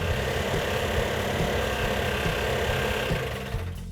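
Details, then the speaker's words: Mopar 340 V8 built a year earlier then left sitting, first fire-up: loud uneven stumbling beat, running on about six cylinders; compression test showed low compression, rings suspected stuck on pistons. "we actually had three problems when we initially fired it off it was running on about six cylinders"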